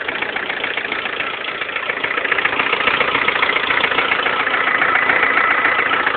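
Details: 2011 Lada Kalina 1.4 16-valve, 20,000 km, suddenly began rattling like a tractor: even idle with sharp regular tapping about 3.5 times a second; piston knock, fixed by dealer fitting pistons of a different size group.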